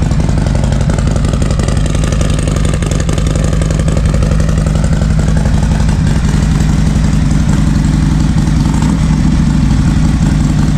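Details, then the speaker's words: Harley-Davidson M8 bagger after new NGK Iridium plugs and Sumax 10mm wires, cold idle: deep, even V-twin potato beat holding steady with no stumbles or misfires; healthy. "she's super strong she fires right up and I've taken her through the paces the last few days I Can Tell She's dirty as always um and she sounds great so I'll fire it up for you guys so you guys can hear it this is a cold start by the way"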